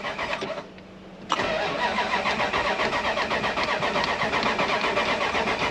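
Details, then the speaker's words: Dodge Ram 1500 project truck: even rapid starter chugging, about four per second after a brief pause, never catching; it kind of wants to fire. Battery seems fine, no jump needed; owner suspects it needs fuel, not confirmed. Crank-no-start. "since we got this here oh you can hear it kind of wants to fire i think she needs some gas"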